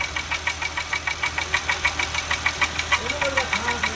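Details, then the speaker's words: Engine with steady sharp ticking about three per second at idle, unchanged with the accessory belt removed, ruling out the pulleys; internal engine ticking knock. "take your belt off it'll go away that's the wheel that's an accessory noise"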